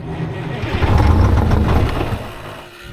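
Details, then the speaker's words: 1973 Freightliner cabover, Detroit 8V71 two-stroke diesel, straight pipe, fuel previously drained, after blower rebuild/install: sluggish crank few seconds, fades, no start; one of three batteries suspected bad, may need priming. "I thought he had better batteries than that, but... I might have to prime it. That was uneventful, boys. Jesus, there's 3 of them and it don't crank that? He's got to have a bad one."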